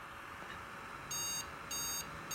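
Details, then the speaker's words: Asus Zenith Extreme X399 Threadripper build with Corsair Dominator DDR4 3000 RAM, which fails past 32 GB; at power-up with four sticks (64 GB) three short high beeps sound over the fan hum, a memory error code, and it shuts off. "we get three beep code shuts off on you could get to the CPU shuts off so anytime we do anything with RAM that's as far as we go"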